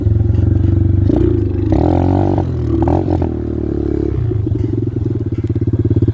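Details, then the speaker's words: X-PRO dirt bike on ethanol-free gasoline, good throttle response: single-cylinder thump stumbles and surges, revs hanging then dropping; carb acting up and constantly overflowing, owner toggles fuel shutoff; rough running, cause suspected, not confirmed. "Funny, when the carb starts acting like that, I gotta shut it off. Maybe I'll just let it bleed a little bit."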